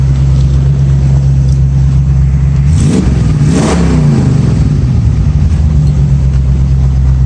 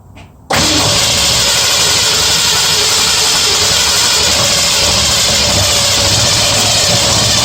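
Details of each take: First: 1965 Mustang idling near 180°, heard from the rear, with new aluminium radiator and electric fan replacing the old fan: even, steady low idle, no fan clatter, not missing; a passing car briefly swells over it. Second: 1965 Mustang V8 test-running a Holley carburettor (plenty of pumping to start): catches and runs rough and uneven at fast idle, firing on only about four cylinders; owner suspects the carb isn't feeding fuel to all cylinders, possibly not both sides.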